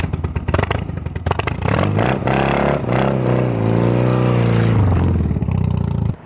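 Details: Customized 1980 BMW R65 boxer twin with shorty exhaust, after a year-long rebuild: loud, throaty blips, rises smoothly and settles back, pulling clean through the rev without stumbling. Healthy running.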